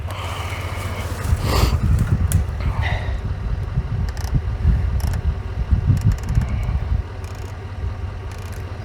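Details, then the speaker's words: Diesel skid steer that sat for years, cranked on jumper cables: the starter grinds it over in uneven bursts with no firing. Diesel is confirmed reaching the injection pump, and the cause is unknown. Cranks but no start. "once i put the jumper cables on it now i can actually get it to turn over but as you hear it's not even it doesn't sound like it's even trying to fire"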